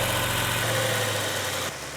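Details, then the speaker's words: Rebuilt Cuda V8 warming up after its first fire-up, 80 lb oil pressure, temperature rising: smooth even burble with no knocks or ticks; sounds really nice, a healthy idle. "Sounds really nice."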